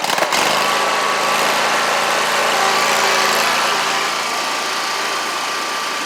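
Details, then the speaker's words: Scag Tiger Cat II zero-turn, Kawasaki FX691V twin, formerly backfiring on one cylinder, now repaired (push rods, cylinder-2 rocker holder, choke, fuel filter): even steady twin-cylinder beat, no popping or missing; normal running. "Y'all can hear it crank. So she's 100% better."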